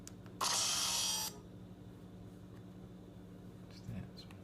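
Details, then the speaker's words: iPad mini making a harsh, hissy scratch burst for about a second, then fading to a faint hum, on typing and power-down; suspected software bug, fixed by factory restore without restoring from backup. "iPad mini started making some extremely weird noises."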